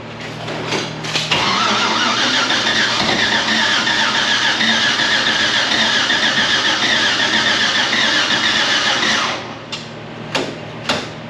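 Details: 1957 Chevy V8 first start in neutral, fuel pressure about 6 psi: brief starter cranking, then it catches and settles into a steady, even run before shutting off; normal cranking and start.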